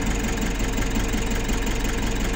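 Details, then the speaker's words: Nissan NV350 diesel after a heavy PMS, bled of air in the fuel system and with coolant being topped up, has an even, quiet idle with a smooth low beat and no knocks or misses. "So ngayon okay na, one click, tahimik na tahimik ang andar oh."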